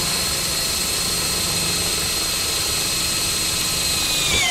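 A steady, even high-pitched motor whine holds without rattling for several seconds, then winds down; a drill cutting cleanly in plain drill mode.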